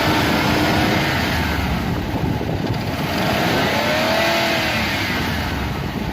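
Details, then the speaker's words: V8 driving uphill after new spark plugs replaced cracked, corroded and gapless ones (was running on about 6 of 8 cylinders) and idle turned down: smooth rumble pulling steadily with road and wind noise, no misfire or stumble. "You can hear the motor is running beautifully. I just put in new spark plugs. You can hear she's running beautifully. She just goes up that hill."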